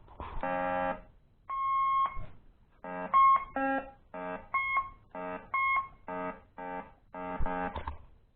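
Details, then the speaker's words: Metal detector after a quick, cheap replacement speaker was soldered in: clear, buzzy tone bursts about a second long, loud, with no rattle or crackle; new speaker works properly. "Works beautiful."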